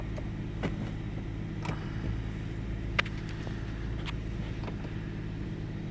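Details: 1998 Ford Taurus SE OHV V6 idling with the hood open: low rumble broken by occasional sharp pops and slight stumbles every second or two. Intermittent misfire with mild rpm fluctuation; earlier swung 400-1000 rpm without warning lights. Cause not pinned down.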